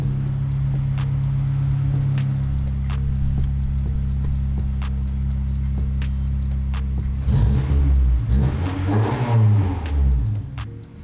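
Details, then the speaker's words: Honda S2000 after replacing a worn timing chain tensioner and an oil change: smooth idle, then clean revs that rise and fall evenly with no tick, rattle or whine; the tensioner noise is gone. "well i'd call that a success the noise is gone let me just rev it a little bit just to see if something comes up"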